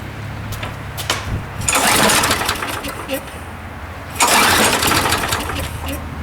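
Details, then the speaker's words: Toro Super Recycler mower, 6.5hp Briggs & Stratton, started with float bowl empty: a few pulls, catches and runs with brief surging, hunting speed, from lack of fuel until the bowl filled; no fuel line leaks. "now um you did notice that it was hunting a little bit and that was mainly due to the fact that our bowl wasn't filled up with fuel and it was just lack of gas flowing into the system"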